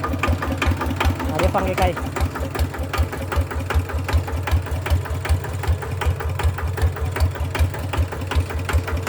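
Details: Kubota RT100 single-cylinder diesel with injector spring shimmed for a panting idle: thumping at about 160 beats a minute, loud and slightly surging; the shimmed injector spring gives that uneven panting beat.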